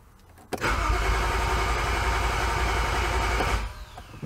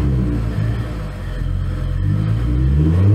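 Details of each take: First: 2011 BMW E90 xDrive, rebuilt N55 with Stage 2 turbo and 8HP45X swap: fast cranking, briefly tries to fire but no start, fuel pump not heard; terminal 87 no-voltage and rail pressure codes, caused by a blown DME fuse and faulty rail pressure sensor. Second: 2011 BMW E90 xDrive, rebuilt N55 with Stage 2 turbo and 8HP45X swap, after fixing crank-no-start, on skates: revs climb cleanly with no stumble or knock, free revving and healthy though still running rich.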